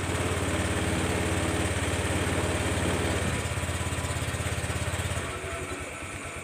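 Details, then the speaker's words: Honda New Vario 125 LED scooter at idle after light service and oil-change reminder reset, started on the electric starter; steady, even single-cylinder putter with no knocks or rattles, settling lower near the end; healthy idle. "Oke, langsung kita hidupkan mesinnya seperti biasanya ya, tombol starter. Oke, seperti itu ya."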